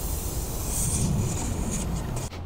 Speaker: you can hear that just a slight leak so far but when I take the whole cap off you can probably hear that air is rushing out not good